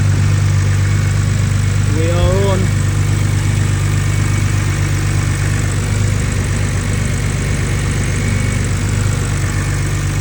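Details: BMW N52 straight six, cold start after DIY oil cooler and housing gasket replacement, coolant level holding; catches and settles into a steady, even idle with a smooth low hum and no knocks or ticks.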